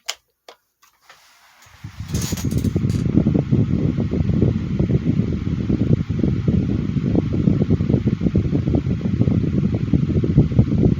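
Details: 2010 Midea 12" FT30-8MB oscillating table fan restarted on high speed: spins up after a click into a steady low hum with a slightly rough, uneven flutter; owner thinks it could use lubrication.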